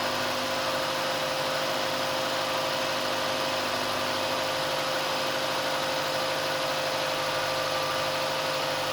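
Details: Uneven, lumpy idle with steady hum underneath after first start of a rebuilt car left sitting dry a long time; sounds like a misfire, head gasket mentioned but cause not confirmed.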